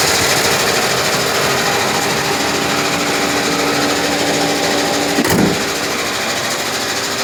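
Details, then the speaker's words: 2007 Chevy Equinox LT V6, 149,000 miles: rapid, fairly uneven mechanical chatter about three beats a second from the engine bay only at startup; owner rules out water pump and suspects a bad starter, unconfirmed. "so when they start only it's a strange noise coming around the engine bay"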